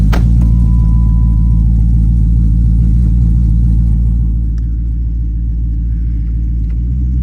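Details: 2010 Dodge Charger starting after replacement of damaged heads: a quick start, then a deep, even rumble settling to a steady idle with no ticking or knocking; it sounds healthy.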